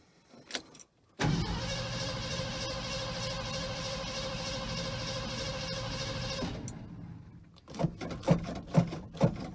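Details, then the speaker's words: 1969 Ford F100 V8 with carburetor and electric-assist choke, about 140,000 miles, first cold start after five months sitting: brief crank, catches at once and settles into an even, steady high choke idle; normal cold start. "sounds good oh wow look at that it just started right up i don't have any complaints about that"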